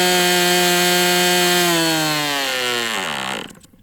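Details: MDS 68 FS Pro four-stroke glow model engine on break-in, warm. High steady scream falls smoothly with throttle down, then cuts out completely. Owner suspects low-speed needle closed or throttle stop mis-set; stalls before reaching the stop.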